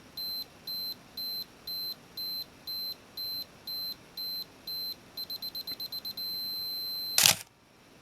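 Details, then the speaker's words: Minolta X-700 with 50mm f/1.7 lens, self-timer run with the beep function on: a high, clean beep pulses about twice a second, then speeds into rapid chirps and a steady tone before the shutter fires; timer works normally. "The camera is also equipped with a beeping function, so if we turn that on, it beeps not only when it thinks there's not enough light, but also during timer operation. So we'll run the timer again. We hear it beeping."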